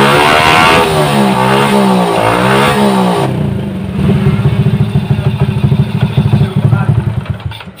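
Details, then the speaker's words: Honda Supra motorcycle, weak and sluggish on hills: revs drop to idle with an uneven metallic clatter over the engine beat from a loose, worn clutch housing on the right side of the block. Clutch housing rattle. "jadi suara mesinnya sudah halus di bagian blok kanan sudah tidak ada jadi suara gemeretak atau pletok yang seperti sebelumnya bongkar jadi beberapa jalannya ada di bagian rumah kopling janda yang yang oblak tadi"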